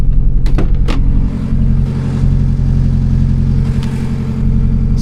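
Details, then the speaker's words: Car running as if on three cylinders on a cold morning, just after it hit a flock of magpies: sudden power loss and a lumpy, uneven low burble that never smooths out. Part of the piston crown was later found missing; misfire from the damaged piston. "No idea what's wrong with it. Everything looks good. Sounds awful, man. Sounds absolutely awful."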